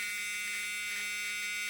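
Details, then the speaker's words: 1979 Chrysler 300 project car sitting a year, interior: continuous harsh high-pitched steady buzz; warning buzzer sounding, owner thinks it is tied to the light switch he wants to replace. "Now they are, but so is the buzzer, which, oh, that's just for the light switch, which I think I need to replace because it feels horrible."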